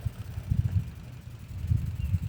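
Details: Modified Mamod Brunel MK II model steam engine after its exhaust leak was fixed with an exhaust adapter that stopped it kicking out the fire: soft, low chuffs in uneven bursts with no hiss or sputter. Normal running.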